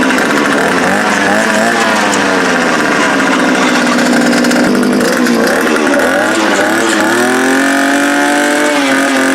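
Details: Fuel-powered post-hole auger, still cold, after its broken fuel primer bulb was dealt with and throttle linkage adjusted (carburetor replacement advised): fires straight up and buzzes steadily, revs rising and easing smoothly with no stumble; normal cold start.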